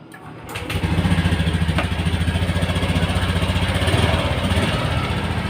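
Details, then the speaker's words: Honda Scoopy FI ESP scooter started by jumpering ignition wires (key lost): brief crank, catches at once, steady even putter at idle; starts fine, though one circuit still not working. "ini dia sudah sudah sudah hidup ya tidak hidup-hidup"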